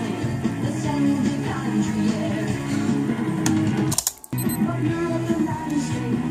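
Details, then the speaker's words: Marantz Superscope CD-330 vintage cassette recorder on playback: dull, muffled music with treble fading in and out and a short dropout; the tape is believed to sit too far down, expected to ride higher once the case is on. Take-up is still weak despite torque adjustment. "can hear the high frequencies coming in and out. So I think the reason that the high frequencies move in and out like that is because the tape is sitting actually too far down."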